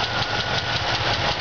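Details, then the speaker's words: 1977 Oldsmobile Cutlass Supreme, original 350 V8: shaky idle with quick regular light tapping that follows engine speed; a lifter needs replacing, left exhaust manifold seal leaking; engine could use rebuild. "it's a little shaky it's a little old engine it could use a rebuild for you know exhaust manifold uh no is still good you can hear it need the lifter"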